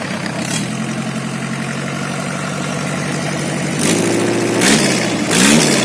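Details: Engine run without all its components installed gives a fast clattery 'kemeletek' rattle at idle that grows louder with each throttle blip. Abnormal noise from the incomplete assembly.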